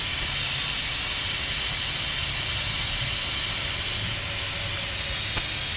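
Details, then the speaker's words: 2019 Kenworth T680 MX13 EPA17, parking brake valve on releasing the parking brake: a loud, steady hiss of escaping air. Air leak traced to a failed tractor brake chamber, which was then replaced. "It is more prevalent when you release the parking brake. If you're driving or you got the truck started, you will hear it um coming from the parking knob as well."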